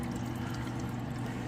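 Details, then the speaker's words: Slow sink drain at a house, after a plumbing repair: a steady, even trickle runs through the trap with no dripping or gurgling. Flow is fair but not great, and no leaks are found. "The drain's pretty good, but not the greatest. So you can hear it down there too."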